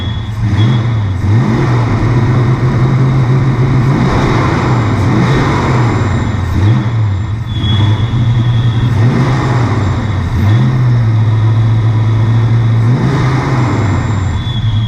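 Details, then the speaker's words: Ford Fox-body Mustang at idle just after new spark plugs fitted: loud idle hunting up and down every couple of seconds, rough and uneven; runs slightly better but owner suspects a leaky injector, not confirmed. "Guys, runs a little better. Still got some issues. I think we may actually have a leaky injector."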